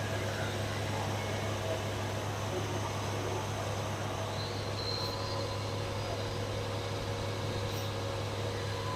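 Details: 1974 Dodge Dart Swinger, just over 45,000 miles, just started after sitting: steady low hum, even unbroken running, no knocks or misses, idling smoothly. Normal idle.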